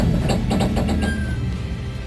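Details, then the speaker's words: Race car at slow roll with poor-quality aftermarket hub: quick run of sharp pops over low engine rumble as the outer wheel bearing race slips in the hub. "If the bearing is slipping in the hub, at slow speeds you might get a noise like this. The popping noise is the outer bearing race slipping multiple times in the hub."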